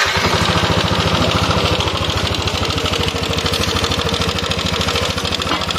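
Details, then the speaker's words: First-generation Yamaha NMAX scooter idling with a fast, rough metallic "krakrak" clatter from a worn intake rocker arm; roughness persists as rpm rises to 4,000–5,000. "dari suaranya identik suaranya teman-teman bisa dengarkan secara seksama nih dengarkan dari suaranya krakrakrak gitu"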